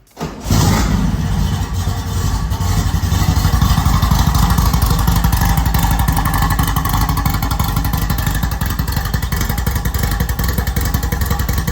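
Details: Rally VW Beetle with a newly installed 1776cc flat-four on a dual-port setup, first start in neutral: catches after a brief crank and settles into a steady, even, deep throaty rumble with no odd noises.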